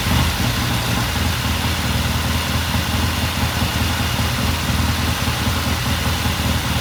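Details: 1969 Triumph TR6 twin, warm idle after cold start; pilot air screw turned in half a turn to richen starting after pilot jet cleaned. Smooth, even low thrum, steady beat, no misses or pops; healthy normal warm idle.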